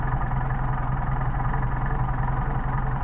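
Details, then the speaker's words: Mercedes 190SL with Solex carburetors, warm (thermostat open), linkage off, idle raised for adjustment: a steady, even low idle with a regular beat, no misses or knocks; a reasonable idle, and the generator light flickers slightly. "Yeah, that's a nice, reasonable idle, and it'll also keep your generator light will flicker just a little bit."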